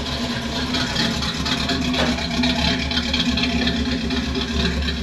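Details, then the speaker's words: Pontiac Firebird V8 running after swapping to a 600 CFM Edelbrock carburetor: steady, even rumble with no misses, stumbles or knocks, snappy, with lots of condensation now, taken as a sign of a healthy motor; normal running. "that's what it's supposed to sound like [Music] so Snappy lots of really good condensation which we weren't hardly having before"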